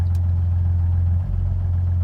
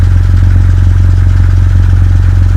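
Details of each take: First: 2000 Jeep WJ at idle warming up, low petrol idle with brief stumble, tach bouncing and RPM slowly dropping; misfire from failing crankshaft position sensor, fixed by replacing it with Mopar part. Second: 2000 Jeep Grand Cherokee WJ after replacing the crank position sensor with a new part for stalling, rough idle and misfiring: deep, steady, even idle with a regular low beat and no misses or stumbles; idling much better than before.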